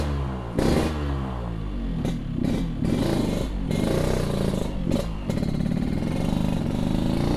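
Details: Yamaha RX King two-stroke after a recent exhaust repair: crisp crackling note climbing and dropping cleanly with each throttle blip, no rattles or misses; the exhaust sounds healthy.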